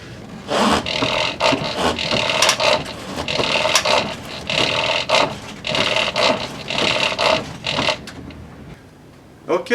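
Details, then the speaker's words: 1987 Lincoln Town Car after idler arm replacement, previously loose steering and front clunk on turning; steering swept back and forth gives only light rubbery squeaks in bursts, no knock or clunk, hardly any play: normal steering linkage, no clunk. "as you just saw we had it hardly any play on the new idler arm as expected and there's no more weird clunking or scary clunking sounds uh coming from our suspension"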